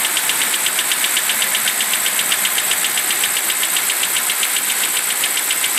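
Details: BMW 745i E65 at 2°C outside, just after a cold start: fast, even metallic ticking or knocking at about four per second over idle that disappears after 1 min 20 s; the owner suspects an old chain tensioner.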